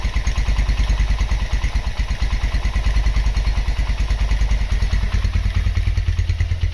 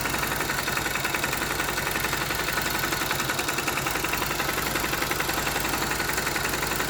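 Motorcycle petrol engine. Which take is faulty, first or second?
second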